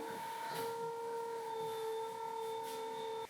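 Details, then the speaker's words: Leesa adjustable base by Leggett and Platt raising the head section while carrying a Leesa mattress: steady mid-pitched motor whine that cuts off cleanly, quieter than before because the mattress load muffles it. "sound kind of is now less, like you can still hear it, but not as much as before because of the mattress sitting on it."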